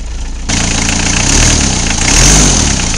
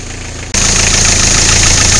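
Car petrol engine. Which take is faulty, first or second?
second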